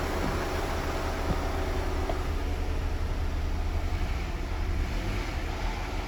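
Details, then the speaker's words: Audi/VW 2.0 TFSI with an oil pressure fault on the scan tool: low, rough idle with an irregular knock about once a second that fades with a little RPM; loose internal engine components are suspected, not confirmed, and teardown follows. "It does go away with a little bit of RPM, but if you're hearing anything like what I'm hearing, it sounds like there's loose engine components."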